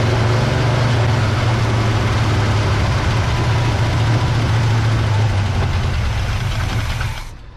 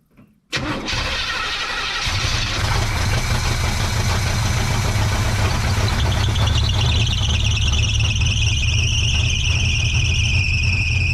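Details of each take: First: 1970 GMC V8, freshly rebuilt with all new gaskets and seals: fuel poured into the carburetor bowl lets it fire right up and idle evenly for about seven seconds, then it fades and stalls once the bowl empties; no fuel is arriving from the pump line. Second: 1970 GMC truck with freshly rebuilt engine and new gaskets and seals, first start after fuel-system work: brief crank, catches at once, settles into a steady, even deep idle; owner believes it is running a little rich, carburetor mixture screws still to tune.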